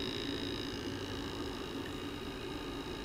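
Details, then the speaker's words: Quartz and stainless burner tube test: steady low buzzing hum like an electric fan over the flame roar; the pipe itself is oscillating and vibrating, felt by touch, possibly the swirl device oscillating. "definitely it's coming right from this it could be the swirl device is oscillating some space between let's see the pipe is oscillating touch the pipe back here the pipe is oscillating it's vibrating you can feel it"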